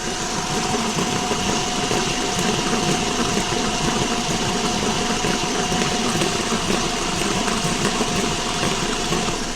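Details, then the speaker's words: Car with a rolling noise while driving, wheel raised and spinning: steady rough rolling rumble with a faint hum from the CV axle support bearing; the whole axle is likely to be replaced with a new bearing. "the nois is coming from that bearing right there probably have to change the whole axle"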